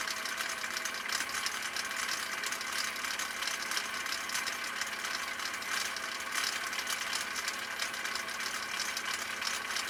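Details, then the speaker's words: 1959 Husqvarna Viking CI-21A sewing machine in slow gear, stitch three on cam C, sewing commercial upholstery material: steady high-pitched whir with fine, regular needle patter; motor at the same speed, machine slower; normal running. "so you'll be able to hear the motor is running differently i should say it's it's it's running at the same rate of speed but the machine is not running at the same rate of speed"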